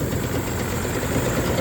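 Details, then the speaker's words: Rough-running 3-cylinder Yamaha 30hp two-stroke outboard: uneven lumpy idle with a stumble as one cylinder drops out; drop test indicates dirty number-two carburettor, possibly a bad plug; carbs to be cleaned, new plugs and fuel filter to be fitted. "I'm going to clean them all it could still be a dodgy spark plug but um that indicates dirty kby number two to me"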